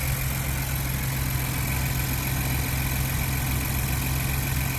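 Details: 2021 Ford Bronco 2.7L EcoBoost, started right after a UPR catch can install: steady, even idle with a smooth low hum and no knocks, ticks or misses; healthy idle.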